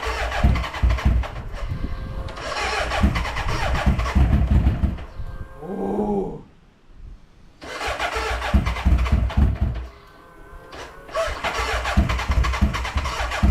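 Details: BMW K100 café racer build, first start attempt after electrical wiring and fuelling: repeated uneven cranking bursts that catch briefly then die, slowing between tries; won't stay running, owner suspects battery, later mixture.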